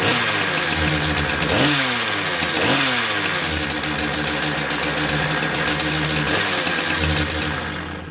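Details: Husqvarna 455 chainsaw after oil pump inspection and clutch replacement for a not-oiling complaint; revs blip up and settle back cleanly without stumbling; normal running.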